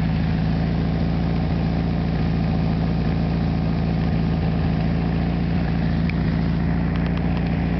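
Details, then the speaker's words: 1973 VW Super Beetle, rebuilt original 1600cc air-cooled engine with about 150 miles, carburetor cleaned and idle just adjusted; loud but even chatter at steady idle around 800 rpm, no stumbles or hunting, heard from about 20 feet away: normal idle. "as you probably already know, but Volkswagens are very loud. About 20 feet away, and I still have to yell."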